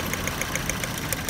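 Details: Toyota Yaris at idle with a regular tapping beat about seven times a second over a rough, uneven note, typical of a misfiring cylinder; cause suspected, not confirmed.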